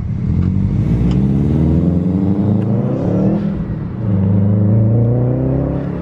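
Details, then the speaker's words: Subaru WRX (2002–2005) accelerating to 15 psi boost after replacing cracked EVAP hoses and tightening leaking intake manifold nipple; smooth, steadily rising pull with no stumble, response improved. Normal acceleration under boost. "i've only hit 15 pounds of boost which is perfect we're right on schedule for that and i think it actually feels more alive"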